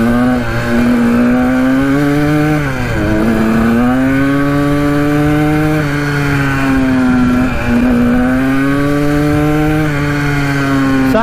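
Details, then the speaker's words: 1980 Kawasaki KDX 175 two-stroke dirt bike, first road ride after mouse nest was sucked into intake: buzzy note climbs and sags with throttle, flat and ragged at top; rider says it sounds lean, unconfirmed. "pretty weird she was sounding pretty lean on that run"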